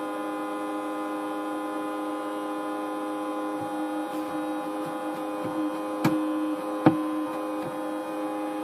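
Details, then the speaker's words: Unmanaged network switch, new unit, on first power-up: steady, rough whirr with layered whine and occasional click; the small cooling fan turns and blows but sounds unhealthy, possibly bad, so the switch is to be torn down. "like we got a noisy little fan. Hey, you know what? That's horrible."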